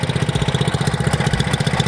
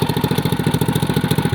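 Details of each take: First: 212cc engine (CT100U) after installing billet connecting rod and flat-top piston idles with a quick, even single-cylinder beat, no knocks or misses; running noticeably smoother than before, possibly from the lighter rod. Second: 212cc CT100U small engine after fitting a billet rod and flat-top piston: sharp tapping knock on every firing stroke, about nine per second at idle; owner thinks it's the head, not the rod; slight smoking followed, then damage found.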